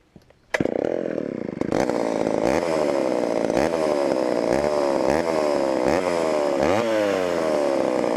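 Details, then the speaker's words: Homelite Super XL chainsaw on first runs after auction, secondhand non-ethanol fuel: it fires but revs surge and sag unevenly at the bottom; lean low end, needing low-speed carb adjustment or the carburetor diaphragm to soften up. "hmm definitely lien on the bottom and either gonna have to adjust that or maybe just let the carburetor diaphragm kind of soften up here"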